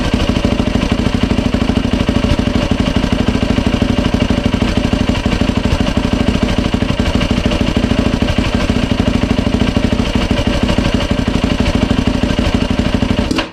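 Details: 2007 Yamaha YFZ 450 single after top and lower end rebuild, new water pump seals and impeller shaft fitted to fix a coolant leak at the pump hose; steady, even thump about three beats a second, no rattles or misses, until shut off. No leaks, healthy idle.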